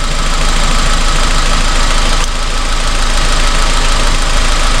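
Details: 2002 Honda Civic with loss of power and misfire codes P0300–P0304: lumpy idle with a regular stumble about three times a second, one cylinder dead; short-term fuel trim a little high; coil suspected, checked by swapping coils.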